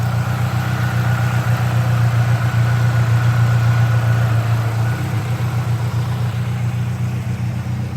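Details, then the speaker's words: Saab Aero after a head gasket replacement, still mixing oil and coolant and burning oil (heavy oil smoke): low, heavy idle with a steady throb but slightly uneven pulse, rough running. "black look at the engine moving like that holy crap ruff ruff yeah here comes the smoke"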